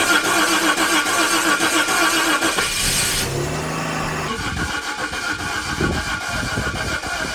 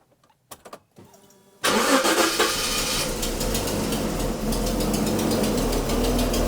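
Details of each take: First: $200 Jaguar just given a swapped engine: cranks briefly, catches and settles into a steady, even idle with no knocks or misfires. Oil pressure is building on the gauge, but the car is not charging. Normal start and idle. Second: 1980s Jaguar original engine, last run before engine swap: cranks, starts, then idles lumpy and loping, misfiring; owner suspects an external head gasket leak on the side, not exhaust.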